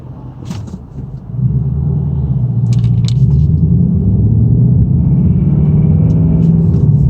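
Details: Stock 2018 Mustang GT Performance Pack Level 2 V8 at 1372 miles pulls away and cruises with a faint light rattle over the exhaust rumble; first noticed at 275 miles, seemingly worsening; dealer called it normal, owner suspects piston slap.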